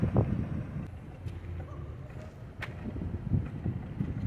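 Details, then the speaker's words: 2013 VW Tiguan 2.0 TSI 4Motion idling with uneven, lumpy misfire and irregular low thumps, check engine light blinking; caused by failed ignition coils, fixed by replacing coils. "i do not like to have a car running like that when the when the shaking line is blinking because uh that means that there is a misfire and uh one or more or more cylinders"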